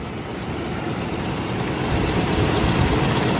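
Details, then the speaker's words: 2001 Oldsmobile Bravada bought at auction, idling with engine vibration, flashing service engine light, and smoke from a leaking valve cover gasket. Rough idle with a deep knock three to four times a second; a spun bottom-end bearing is suspected. "That might not have anything to do with the noise. But it sure does sound like it's spun a bearing in the bottom."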